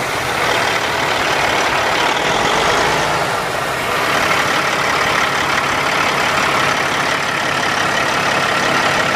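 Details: 2005 Sterling LT9513 dump truck, CAT C15 475 hp diesel, 616,237 km and 17,560 engine hours: an even, steady idle with a smooth throb and no knocks, misses or squeals; starts nicely and sounds good.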